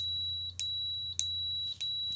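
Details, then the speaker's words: 34401A bench multimeter on a continuity test. A clean, high, steady beep sounds instantly at each of four quick probe contacts, with no lag. The response is normal and fast. "Instant. But yeah, that's super quick"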